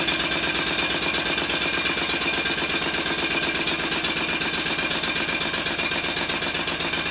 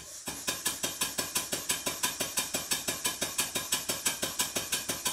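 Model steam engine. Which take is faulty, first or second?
second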